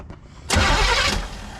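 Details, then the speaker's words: 1971 Chevelle wagon cold start at 47°F after sitting 3-4 weeks, carb pumped a couple times: short crank, catches right away with a loud burst of revs easing toward idle; it smokes, passenger valve cover unattached and leaking oil; normal cold start. "Oh. Yeah, I jumped. There she is. We're back in the shop. Yep, it smokes."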